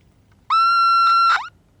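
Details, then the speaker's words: Vintage Aiwa AM/FM transistor radio with one side of the detector diode lifted: loud, steady whistle near one kilohertz that sweeps upward and cuts out; shorted detector diode suspected; audio oscillation whistle. "oh yeah Rock My World wow it's going up it's almost out of my hearing range now"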